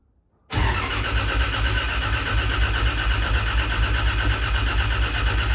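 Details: Freshly rebuilt Toyota 2JZ in a Corolla wagon cranked on the starter to prime oil, cam and crank angle sensors unplugged so it won't fire; steady, even cranking with no drag or knocks while priming.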